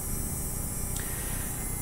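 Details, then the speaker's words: Small DC motor driven through an H-bridge by PWM from a Tasmota microcontroller, with the duty cycle raised back to maximum. Steady, even hum with a faint high whine and no surging or rattle. Smooth full-speed running. "E eu posso aumentar de novo até o máximo."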